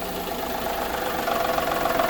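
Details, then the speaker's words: Daihatsu Mira Gino L700S being checked for an abnormal engine noise, with the A/C off. Steady, even idle with a soft, regular pulse and no knocking or ticking. The noise has stopped and the engine sounds normal with A/C off. "あ、今いいよ。結構正常し。"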